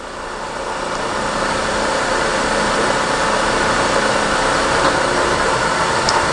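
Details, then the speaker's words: Refurbished Verteq 1600-55 spin rinse dryer with 6-inch wafers, winding down after the dry cycle: steady even whoosh, no knocks or scraping; small wafers wind down very quickly, normal spin-down. "it's a small wafer, 6 inch compared to 8 inch, it winds down very quickly."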